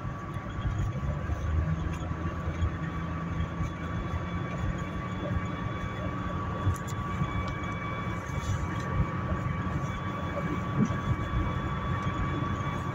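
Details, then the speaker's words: 2008 Dodge Caliber while driving: a high-pitched hum rides over the road noise, appearing around 60 mph and gone by 40–50. Its pitch and loudness don't change with speed. Tied to ground speed; the owner suspects a wheel bearing, unconfirmed. "I have no idea what the [ __ ] this is this makes no sense it's tied to ground speed somehow this noise again"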